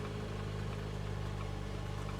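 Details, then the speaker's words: Auction project car with one deployed airbag, push-button start, and ABS, check engine and tire-pressure warnings (flat tire): smooth, even low idle right after start-up with no knocks or misses. The engine itself sounds good. "Okay, we do have a lot of issues. ABS, check engine, tire pressure, but the engine itself sounds good, okay?"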